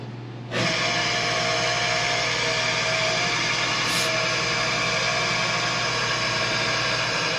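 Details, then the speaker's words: Old, probably mid-1980s shop air compressor, test run after hydrotesting the tank and before full reassembly: a steady, even buzzing hum and low drone with no knocks; the pump runs normally. "okay so now that we know that it works we can fully put it back together"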